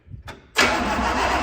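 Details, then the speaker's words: 1965 Pontiac Catalina, first cranking after 20 years apart, no steering wheel, on booster pack: steady, even cranking drone with no firing; carburetor dry, no fuel reaching it, later primed by sucking fuel through hose. "Carburetor still sounds dry. Yeah, I'm killing my booster pack."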